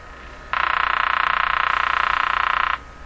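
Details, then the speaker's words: Canadian General Electric JK-53 three-band tube radio during initial checkout, antenna wire touched; steady raspy buzz about three pulses a second that starts and stops abruptly. Buzzing interference, suspected to be picked up through the antenna, not confirmed. "that noise you hear you know what a lot of radios make that sound in my shop and I'm always asking myself if Jesus is coming out of the radio or is it being picked up by the radio"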